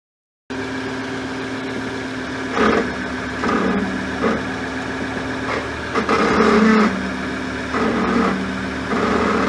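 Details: Ford Endeavour (Everest), in bumper-to-bumper stop-and-go traffic: repeated groaning squawks over engine hum when braking, starting after rear brake pad replacement. Caused by rear pads ending 2200E and fixed with newer pads ending V200C.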